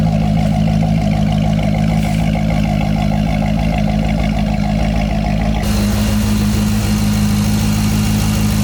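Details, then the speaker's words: Corvette C6 at first start after installing AMT Vulcan motor mounts, with spark plugs done, cats reconnected and an exhaust clamp fixed: settles into a steady, even idle with a smooth pickup, no knocks or clunks. Normal idle. "Everything sounds good. Everything's running good."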